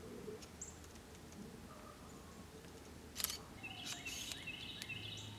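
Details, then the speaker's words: Canon EF 50mm f/1.8 II lens shooting outdoors: short bursts of high raspy whirring and creaking as the non-USM autofocus motor grinds back and forth, struggling to lock focus. "Now, there we had just a bit of trouble locking on again. And you hear that non USM motor grinding and creaking as it tries desperately to focus."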